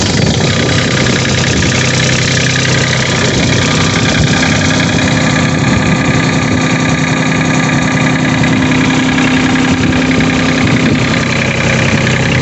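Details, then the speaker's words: New Holland Workmaster 25 3-cylinder diesel in Michigan winter, after crank-no-start from lost fuel prime, fixed by cycling the key on for a few minutes: runs steady and loud with even clatter, no stumbling or misfire. "he said just turn the key on and let it cycle, let it run for a few minutes, and now it starts."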